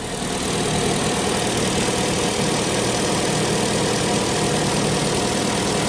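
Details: 2018 Chevy Sonic 1.8 L idling steady and even after the plastic cam cover (PCV/vacuum leak) and tube were replaced, with no stumble, hunting, vacuum hiss or ticking; the earlier rough idle is fixed.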